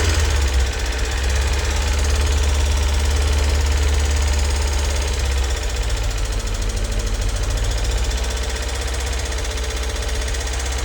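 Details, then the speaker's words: MG TF petrol engine on first start after head gasket, water pump and timing belt replacement, unused five or six weeks, idles with loud fast rattly tappet tapping until oil circulates; gone after about 10 minutes. "And just a quick note to say the horrendous tappity noise your tapping noise you can hear when I start the engine up. Uh that was the tapets."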